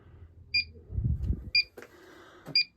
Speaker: it's a good leak detector it looks a whole lot like their techmate refrigerant leak detector but there is no volume control on it so you got to listen to this beep the whole